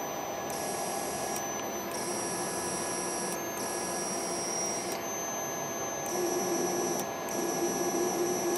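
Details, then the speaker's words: MaxNC CL CNC control board in closed-loop quadrature mode under Mach3, out of e-stop: steady electrical buzz with a faint intermittent whine as the energized steppers lock and hold position. "hear that hear that buzzing that means it's active so when you hear that buzzing that means you can't no longer move the motor"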